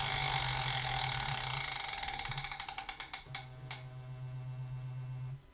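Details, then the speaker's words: Elite Direto smart trainer, production unit after eight weeks and hundreds of kilometres, on Zwift workout with rapid resistance changes: fast ratcheting whirr slowing to spaced clicks, then steady low hum; normal resistance motor noise, a non-issue while riding. "you can hear there once things are in full swing in your training session you can't really hear what's going on anyway so a bit of a non-issue"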